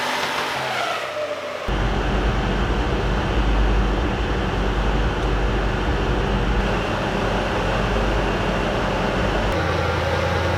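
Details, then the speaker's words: VEE080, a boosted LS V8 drag car. Loud roar under load with sudden drop-outs and uneven stumbles as it breaks up. Misfire under boost. "right oh guys so we still have a few issues um you can probably hear from the footage it's breaking up it's causing a few issues"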